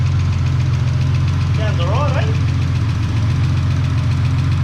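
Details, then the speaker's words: Ford AU engine's first start after the harmonic balancer went on, before the reseal and new water pump: deep, steady idle rumble with no knocks or misses and only a brief chirp, sounding all right and healthy. "right sounds like an engine number one damn good"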